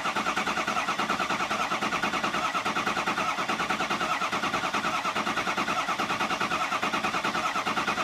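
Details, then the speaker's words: 6.0 Powerstroke diesel after EGR cooler and oil cooler install, repeated priming cranks: even, steady cranking beat around seventy per minute, the tone settling as base oil pressure comes up, now cranking normally. "We're about ready to get base oil pressure. You can actually hear the difference. So, let's see what this is. Hear the difference in the tone."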